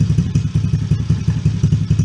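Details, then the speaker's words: Coolster 110cc Chinese ATV just fitted with a new carburetor, started with a little choke: single-cylinder putters at a brisk, steady beat, faster than normal idle; idle screw set too high, turned down. "Idle's a little high. Just crank it down a little bit if it stops moving."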